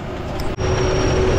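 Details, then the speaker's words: Corn planter on a running tractor during a hybrid sowing trial: a thin high steady tone over the tractor noise as the monitor beeps because all the seed has run out; seed monitor alarm, no seed flow. "can also hear how it beeps, the machine means that it has lost all the grains,"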